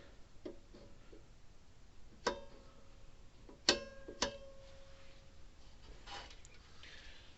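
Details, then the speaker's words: Old Sears mechanical electric fence charger after contact-cleaner spray on the points: quiet background with occasional sharp snaps and ticks at irregular intervals; the points fire but arc and still need cleaning. "i can hear it working down there every once in a while those those points need to be clean but still enough to make it work"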